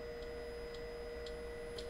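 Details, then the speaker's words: Trampa ORRSOM longboard single motor on VESC setup, hall sensor detection: motor buzzes in place without turning, a steady mid-pitched hum with a light tick about twice a second; green result, normal. "So again, we hear the motor buzzing but not spinning. On the tall green means it's okay."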